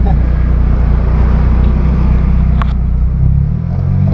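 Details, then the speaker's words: Nissan Sentra B14 idling after replacing the faulty A/C compressor (its bearing suspected of the grinding, metal-rubbing noise): steady, even low rumble, no grinding or scraping, only a loud exhaust drone; engine running smoothly. "At kung maririnig nyo, wala na siyang ingay mga kabiyahe. So tahimik na siya. Yung tambucho na lang maingay natin mga kabiyahe."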